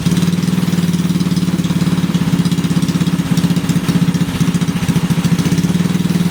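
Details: Briggs and Stratton 5HP engine after the starter clutch (sprag) was replaced: fast, even firing pulses at steady speed with no misses, knocks or rattles; it's running smoothly and healthy.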